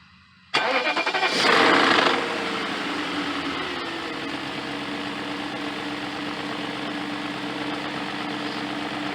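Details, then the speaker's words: 2000 BMW E38 740iL M62TU, started after replacing the main drive-belt idler pulley, whose bearing was noisy; the engine catches and settles to a steady idle with no chirp or bearing growl, much quieter than before. Normal idle. "belt still on and it is much quieter than it was before"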